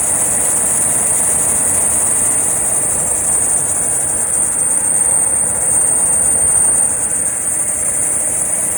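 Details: 2004 Ford Expedition 5.4L idling at -8°C: steady piercing belt squeal with a coinciding alternator voltage drop. It sometimes stops when shifted to neutral or into gear, and is worse when colder and absent above 0°C.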